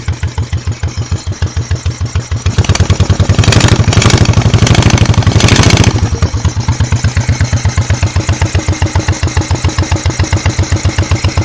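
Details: 1986 Honda Shadow VT1100C, rear cylinder misfiring and backfiring through a wet carburetor despite 125 psi compression on both cylinders and good plugs; carbs swapped with no change, owner suspects cam timing; lumpy chuffing idle with brief rev.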